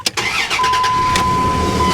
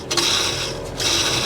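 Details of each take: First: 2002 Dodge Dakota 3.9L Magnum V6 after a new serpentine belt and tensioner pulley to replace a bad pulley: cranks, catches, settles into an even idle with light revs, no squeal or chirp; normal belt drive. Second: 2002 Dodge Dakota 3.9L V6 Magnum, serpentine tensioner pulley spun by hand during a belt change while the other pulleys are quiet: a gritty, dry whirr in two short bursts from a bad tensioner pulley bearing that needs replacing.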